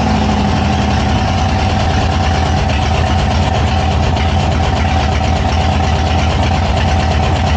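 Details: 2000 Harley-Davidson Sportster 1200, long unused without a battery, S&S Super E carb with enricher pulled, first start: V-twin fires and settles into a steady, even loping idle with no knocks or misses; normal idle.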